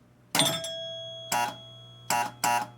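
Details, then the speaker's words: Electromechanical pinball machine that reset normally: ball over a 100-point rollover gives one chime, then only a low steady hum and a few clacks; a relay is stuck on, so no score reels move and no player scores. "You heard a chime, but after that there was nothing, and you probably couldn't hear it on the video, but there was a hum of a relay that was stuck on."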